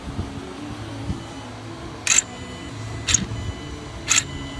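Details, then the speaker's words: 2016 Hyundai Sonata intake manifold runner control actuator, code P200A (bank 1), removed and run on the bench. It gives three short, sharp high squeaks about a second apart as it cycles; the motor is going bad and is being replaced. "can see it's still squeaking uh it's pretty much the sign this thing's going bad"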